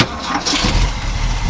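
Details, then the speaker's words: 1975 Ford F-100 Ranger 4x4 V8, new water pump: quick crank, then catches and settles into a steady even low rumble; starts easily, though it usually takes a couple tries when cold; healthy start. "starts up pretty nice we have been driving it around so you know did start easy usually when it's cold takes a couple tries"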